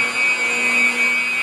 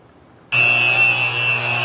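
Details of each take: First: Motor running about 1735–1750 rpm, heard through ultrasound after the soft foot was corrected with ten thousandths of shim under a foot and bolted back down: steady even tone with the earlier surging gone; normal running. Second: Electric motor with a ten-thousandths-inch soft foot, heard through an ultrasound probe at the inboard bearing: a steady hiss over 60 Hz mains hum swells in a slow surge as the rotor works through the twist.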